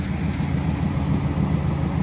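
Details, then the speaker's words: 1970 Pontiac LeMans four-door V8, revived after 30 years parked: deep, even, steady idle with smooth low rumble, no misses or knocks; runs well, normal idle. "I'm going to do something with [Music] it it just runs too good to not be stuck down in something"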